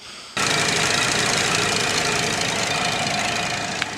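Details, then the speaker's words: 2010 Cadillac CTS 3.6L V6 just started after water pump and water outlet gasket replacement and coolant top-up, still warming toward 220°F; even, steady idle with no knocks or misses, running smoothly. "right, I don't know if you can hear it on there, but it seems like it's going pretty good so far. Just started the car, filled up some more coolant on it."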